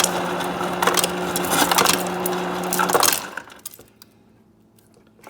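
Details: Kenmore refrigerator ice maker after clearing ice buildup and reseating the ice container flat on its platform: steady motor hum with rapid clattering of ice dropping into a cup, then quiet; normal dispensing.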